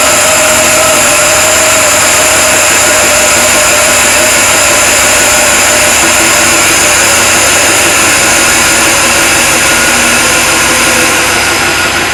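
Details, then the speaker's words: Supercharged LS1 Tonner, untuned first start-up on a cold morning of about 7 degrees: a loud, grumpy engine with a steady high belt squeak; belt alignment is suspected. "A little belt squeak there. We'll have to look at that."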